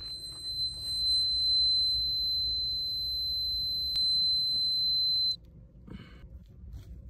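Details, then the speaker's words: Van electrical system, batteries full at 14.4 V, Maxxair vent fan with replacement controller: fan revs way up and a shrill continuous inverter beep holds about five seconds then stops; owner suspects a voltage spike near 16 V; inverter alarm with fan surge. "okay I'm definitely getting some sort of power Spike here uh the fan revved way up and at the same time the inverter started beeping"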